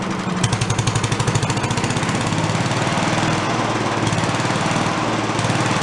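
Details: Late-70s/early-80s garage-sale Giant Vac walk-behind leaf blower, primed: two-stroke pulls hard at full throttle with fast even popping beat, no misses; runs clean but the carb has no idle circuit.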